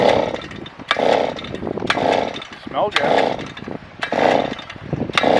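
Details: Auger engine that ran earlier that morning: repeated rasping pull-starts about one a second that never catch; ignition switch apparently left off (suspected, not confirmed).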